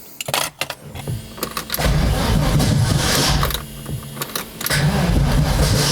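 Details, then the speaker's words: 1983 Audi Quattro turbo 5-cylinder, first start after rebuild with new turbo, refreshed head and clutch: rough, lurching cranking with harsh clatters before it catches; ignition firing too early, fixed by retarding the timing. "I must say it wasn't perfectly easy though. I had to pull some timing out of it, and I knew that that needed that because I could hear it firing too early,"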